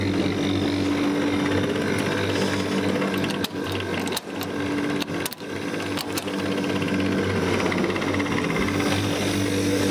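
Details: 1981 Brandt (Australian) dishwasher on test: continuous pump motor hum with rough, rattly edge and clunks; main pump motor needs new rear bearing and seal, drain pump needs new seal, otherwise works.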